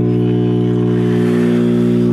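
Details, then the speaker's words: Circa 1965–66 GE C1530 tube AM/FM clock radio at first power-up: loud, steady low mains hum drowning faint reception; a bad filter capacitor is suspected, as on every GE set of this era. "We got a little bit of reception coming in over that hum, but like all these sets, I don't think I've ever ran into a GE set from this era that didn't have a bad filter cap in it"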